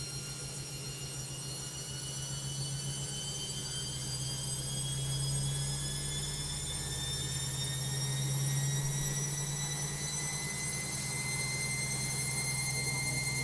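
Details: Logik washing machine on spin: a steady low drum hum with a thin high whine that climbs as the spin speeds up. Noisy spin, no clear cause yet.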